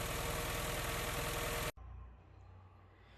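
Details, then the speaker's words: Honda Fit, weak and misfiring with engine noise, with a faulty throttle body: loud, lumpy idle pulsing about three beats a second before cutting out; rough idle. "come isso um dia vai querer fazer uma revisão aqui no motor porque essa marcha lenta dele né tá bem estranha"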